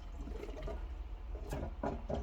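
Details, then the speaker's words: Fluval 407 canister filter being primed with the primer pump, outlet submerged and inlet out of water; quiet gurgles and bubbling as water is sucked up into the filter, normal priming. "It's now sucking water up into the filter. So just prime it a few times."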